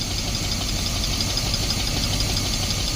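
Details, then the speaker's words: 1972 Barth motorhome, after 15 years sitting, running after a new fuel filter and clamps replaced the leaking one. Fuel flowing in, engine holds a steady idle on its own, even low rumble with some hiss: normal idle. "Here we go. Keep getting her fuel, baby. There we go, idling on her own."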